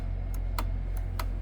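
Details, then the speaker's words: Audi e-tron high-voltage battery repair, negative battery contactor suspected by diagnostics, bench-tested with power applied: sharp clicks, about five in a second and a half, over steady low hum; contactor pulling in, operating normally. "Сейчас как раз Серега проверяет на нейтроне этот контактор, на которого диагностика грешит. Вот видите, он клять."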